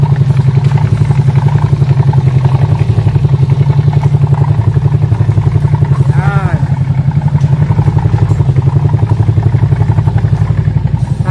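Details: Scooter CVT idling with a steady rattly clatter on the engine beat from the drive side; with the side cover off the engine ran quiet and the pulley and bushing had no play, so the noise came from a worn, dry torque drive with play.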